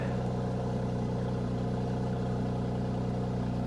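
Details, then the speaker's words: Mercedes AMG C43 at a salvage auction yard, went off the road, just started: smooth settled idle with even low hum, no ticks or misses; sounds wonderful. Normal idle. "This thing is absolutely loaded. It sounds wonderful, guys."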